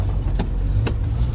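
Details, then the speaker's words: 1973 Ford Ranchero after a cheap replacement carb for the Motorcraft 2150 and timing set near 5°: low, lumpy idle with uneven firing and loose puffs. Hooking up the vacuum advance kills it; a faulty centrifugal advance is suspected. "there still Idols like crap I tried hooking up the vacuum advance and it kills the engine so I think the vacuum advance is just going full"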